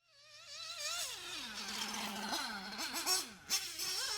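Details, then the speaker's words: Warm (about 100°C) RC nitro engine on track: after full throttle then braking and coasting, the buzzing idle never settles and hangs high, because the lean high-speed needle starves the engine of fuel at full throttle. "you can hear that the idle never settles the idle just stays high and that's because again the engine is starred for fuel at full throttle so that high speed"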